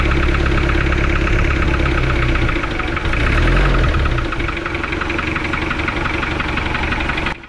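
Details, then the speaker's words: Toyota engine that overheated from water jacket leak at block between engine and transmission: idles with loud, rapid metallic clatter, steady with speed; water entering cylinders 1 and 2, exiting exhaust; head removed. "Yun, napansin nyo mga boss, sobrang lagatak ng andar ng kanyang makina. So dito sa pagkarinig ko ng andar ay pinababa ko agad yung cylinder head."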